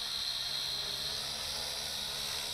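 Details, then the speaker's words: Lishitoys L6052 quadcopter hovering with aftermarket three-bladed propellers: steady high airy buzz with a slight rough vibration underneath, noisier than stock; the props are suspected to be unbalanced, not confirmed. "actually I'm also hearing some vibrations in it it's a little more noisy which means uh these are somewhat unbalanced here"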